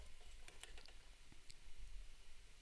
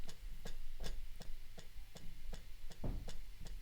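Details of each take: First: Eurorack mechanical sequencer after adding a resistor: soft light mechanical ticks at a steady pace in a quiet room; sequencer now steps correctly without skipping. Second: Eurorack mechanical stepper sequencer at slowed clock: crisp mechanical ticks about three a second with a faint hum underneath; steps are skipped, apparently from noise giving extra clock pulses rather than the motor.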